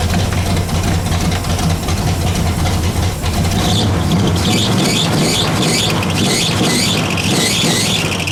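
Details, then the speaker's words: Pontiac Bonneville (Pontiac 455) after freeing stuck Holley floats and raising idle; steady even V8 idle with deep regular beat, no misses or knocks; 40 psi oil pressure, minor carb diaphragm leak; normal idle. "I think we're pretty solid on this thing. This thing sounds great. Whew. Man, that's great."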